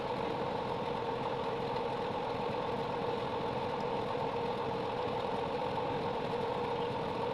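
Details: 3.0KVA generator after a full engine rebuild with new piston and rings: even steady buzzing run with no knocking, rattle or surging; the problem is solved and it runs normally.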